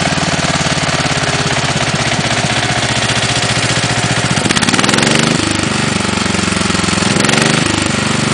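A loud, hard-working engine with a rapid, hollow knock that follows every firing stroke and shifts when the revs change; that's piston slap.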